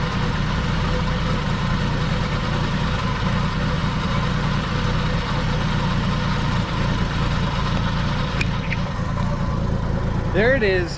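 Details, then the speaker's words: 42-year-old Army Jeep unstarted since 2009, first start after reconnecting fuel pump and carburetor and priming carb with gas; steady, even, smooth idle holding by itself, purring; still needs coolant and fluid changes; normal idle. "it started officially it is idling by itself i might say it's purring by itself"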